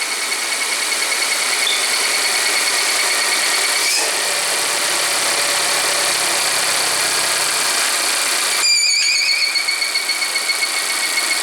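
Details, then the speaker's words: Volvo idling with a failed home repair of the oil trap (PCV, part 32140004), causing code P0171 and high idle: a steady high-pitched whistle over quiet idle; vacuum leak whistle from the failed oil trap, fixed by replacing the part. "And I got the whistle of death. So let me record that. The whistle of death."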